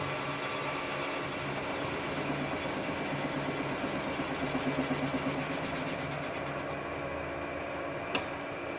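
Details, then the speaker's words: Rottler automotive boring bar feeding down through an engine cylinder; the noise goes silent once the tool bit passes the bottom, then it is stopped manually. Steady mechanical whir with light, even cutting chatter, normal boring operation. "Now we're going to hear the noise is going to go silent. That tells us the tool bit's gone through the bottom of the cylinder, and that's when we're going to manually stop it simply by pushing this red button here."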